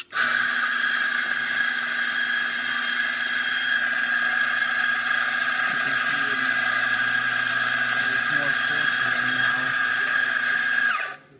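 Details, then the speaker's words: Mazzer espresso grinder after cleaning and grind-adjustment repair (it previously could not grind coarse enough): steady high motor whine with an even grinding texture, no strain or rattle, then a clean spin-down; grinder running normally. "the grinder is working perfectly fine now"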